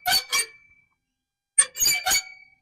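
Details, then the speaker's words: Greenworks reel mower after adjusting the reel-to-bed-knife contact with the two hex points: short high-pitched squeaks, two per reel turn, no engine, from the blade rubbing the bed knife; normal, fades once mowing wets it, or spray WD-40. "that sound will go away once you start Mowing and it gets a little wet or you can also spray it with some wb40"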